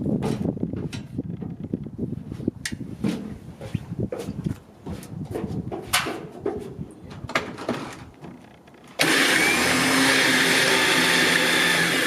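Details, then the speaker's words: Harbor Freight Badland 9000 lb winch, replacement unit after the first was defective and would not pull, mounted on trailer: clunks then strong, even motor whine holding one pitch under load, pulling smoothly; normal winch operation. "there we go this one no problems obviously you could hear it that nine thousand pound was wrong with it from the beginning"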